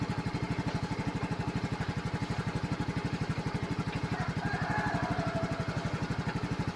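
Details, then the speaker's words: Flooded Yamaha carbureted scooter after drying out, carburetor and engine now warm: even, steady putter at idle with regular firing and no misses; water gone, running normally, though oil change still needed. "So okay na to. Wala ng tubig. Wala na. Mainit na karburador."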